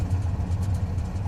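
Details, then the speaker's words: Subaru 360 van two-stroke, carburetor rebuilt with new float: low steady burbling idle with even regular pulse, no misses or surging, settled at 1000 rpm as it should be. "we got idling pretty good new float carburetor has been rebuilt you can see our idle is down to 1000 rpm which is where it should be"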